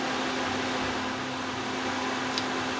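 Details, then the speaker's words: Suburban NT-20SE propane RV furnace in a tiny house, running on a solid-state 12 V DC power supply. Blue flame, getting warm. Even, steady blower roar with no knocks, scrapes or surging; switching a light on and off has no effect. Normal running. "Anyway, seems totally fine. It's humming away smoothly, and turning the light on and off, doesn't have any effect whatsoever."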